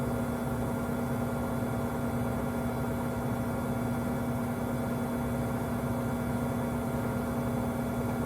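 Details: Five-month-old Samsung 2023 WW25B6900AW/A2 front-load washer, about 70 dB loud buzz since the first month, louder when draining with no water left, quieter hum with water; constant mid-pitched buzz over a faint hum, cause unknown.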